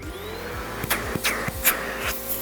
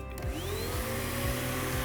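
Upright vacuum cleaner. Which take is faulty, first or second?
second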